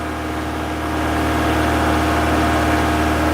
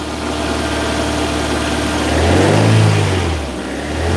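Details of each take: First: Toyota MR2, 40 years old, just after a cold start: steady engine hum, a bit quick and slowly building in volume with an even beat; she's firing but idling a bit high. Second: Toyota MR2, 40 years old, shortly after a cold start with high idle, smelly exhaust and smoke put down to condensation: settled idle then quick accelerator blips that rise and fall cleanly back to even idle; normal throttle response.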